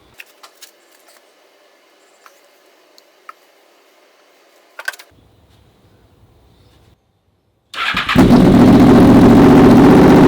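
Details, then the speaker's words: Honda VFR/CBR hybrid V4 with custom dual exhaust, fresh oil and coolant, catches and settles into a strong, even, throaty run with no knocks or misfires; normal revving. "All right, guys, so I have to say the dual exhaust with this V4 engine, that sounds freaking amazing. Not too many street bikes sound like the V4 engine at all."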